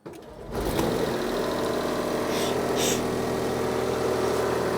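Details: 2011 Smart ForTwo 451 restarted after the new genuine Smart exhaust, part A1324900015, was fitted. Engine catches quickly and settles into an even, steady idle with no rasp or blowing; the exhaust sounds sealed.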